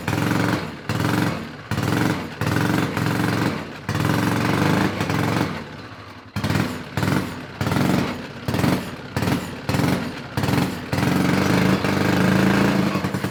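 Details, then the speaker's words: Honda 5HP overhead-cam engine on yard go kart, after carburetor cleaning: revs in short bursts, roughly ninety a minute, dying away between; governor seems to pull throttle up, carburetor linkage hookup suspected. Will not idle. "Could that be a pressure washer thing in the carburetor linkage? Something's not hooked up right."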